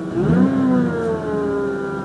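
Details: Mazda RX8 cold start: a clear whine rises, then settles into a steady tone over the engine note. Cause never found; the owner wonders about changed oil flow after oil cooler line replacement. Low compression was diagnosed later.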